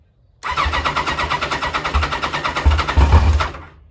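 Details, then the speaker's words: 1986 Kawasaki Concours ZG1000 starting for the first time after troublesome carbs were reinstalled, with the airbox not fully on and fuel turned on. Quick, even starter pulses for about two seconds, then it catches and runs strongly; normal start. "okay it's alive"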